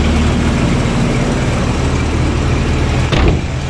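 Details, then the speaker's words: Toyota RA40 22RE cold start after fixing cold start injector power: low, even rumble holding steady with no stumbling or hunting, loud exhaust leak ticking audible; cold engine idling cleanly. "thus concludes the cold start issued she's all good now"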